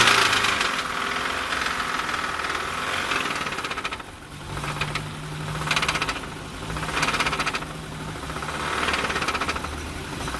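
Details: Car engine knocking at idle; fast, uneven tapping about four times a second over a rough background, source unclear.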